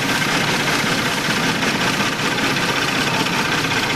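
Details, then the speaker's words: Tata Nexon facelift petrol engine at idle with check light on: rough, shaking, uneven lumpy beat, a severe misfire and jerking with the engine running on only one cylinder; pulling one ignition coil connector stalls it. "गाड़ी अभी start है और गाड़ी में check light आ रही है और पूरी गाड़ी मिसिंग कर रही है। कितना भयंकर मिसिंग कर रही है।"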